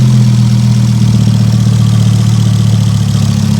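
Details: Ford Focus ST 225 Mk2 idling after fitting a Focus RS vacuum pipe, connections checked for suction, no warning lights: steady low idle hum, even and settled, no intake hiss or stumbling; engine idling normally.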